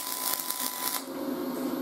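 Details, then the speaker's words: Aluminum MIG welding in spray transfer mode at 22.8 volts with .045 wire, pushing at 10–15 degrees: smooth high-pitched hiss and whine, not the frying-bacon crackle of short-circuit MIG; normal spray arc. "you'll hear that hissing sound it's going to sound like a high-pitched hiss it's not going to sound like that typical frying bacon sound when you're doing a short circuit mig"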